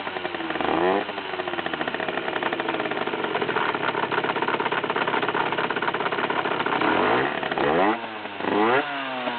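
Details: 50cc two-stroke motorcycle at idle and low revs, blipping: buzzing with a rattly clatter that occurs at idle, when engaging the clutch and at low rpm. It appeared a month after the engine was opened to replace crankshaft and clutch; cause unclear.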